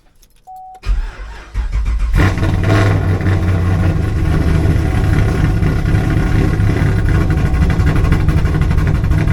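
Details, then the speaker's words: Camaro V8 hot start after adding a trunk ground wire to cure a misfire and hot-start problem: starter grinds about a second before the engine catches and settles to idle; cranking still sluggish, cause unclear. "that was still kind of a slow start we did add that uh that ground wire back there"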